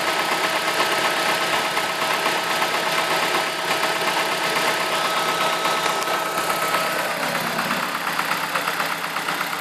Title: E46 318 engine knocking